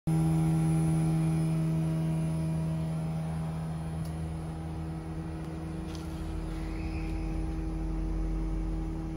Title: Europace multi split aircon noisy compressor